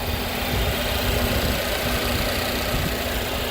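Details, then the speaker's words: 2016 Volvo XC60 T6 Drive-E, just over 47,000 miles, heard from the front of the vehicle right after a cold start: steady, even idle hum with no ticks, knocks, rattles or strange noises; the engine runs healthy. "so here at the front of the vehicle you can see the engine running quite happily off of a cold start no strange noises"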